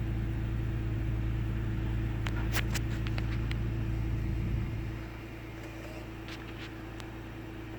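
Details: 1998 Ford Taurus SE V6 OHV, hood open, idling: steady hum with scattered ticks, sagging after about five seconds like a stumble; intermittent rough idle and misfire. Earlier idle swung 400-1000 rpm without warning lights; cause undiagnosed.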